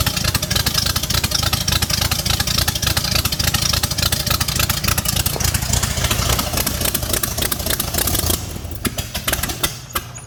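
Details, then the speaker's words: First start of a 5-liter V8 swapped into an MG in place of the 1.8-liter: choppy, uneven lope for about eight seconds, then it sags and dies. Rough idle and stall; owner suspects timing or running out of fuel, calls it tuning. "there's a lot of things that would probably happen in there that made it just stall out and i'm not worried about that because that is all in tuning"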